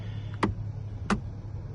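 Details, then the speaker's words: Changan UNI-K steering wheel: two sharp single knocks about two-thirds of a second apart over a low hum; with the airbag removed, the steering wheel nut was found not tightened, the wheel loose on its shaft. "Вот такой вот в руле стук. Сняли подушку. И по итогу у нас получается у нас получается то, что руль, короче, не прикрученный."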